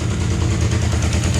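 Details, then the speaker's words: Damaged Suzuki GS500 (bent forks, broken gauge cover), just started: a low, even twin-cylinder idle with a steady pulse and no knocks or rattles, smoother than the other GS500. A normal idle. "this engine runs even smoother than that engine"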